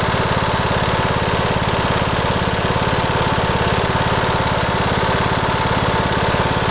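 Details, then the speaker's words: Cub Cadet LTX1040 riding mower, about 90 original hours, runs poorly: steady idle with a sharp, even tick on every firing pulse, about three per second, ticking once warmed up; top-end cause unclear, owner asks whether it's on its last legs. "you might have been able to hear it a little bit when it warms up it ticks when you're in the safety of the house"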